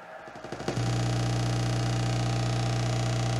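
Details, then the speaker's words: Yamaha HTR-5840 AV receiver with no subwoofer output: loud, steady low hum/buzz, like digital data, from the subwoofer output; the subwoofer output has no shielding ground (open ground) from damaged circuit traces, possibly from a ground loop or lightning. "I'm getting is a hum and it sounds like some digital data of some type"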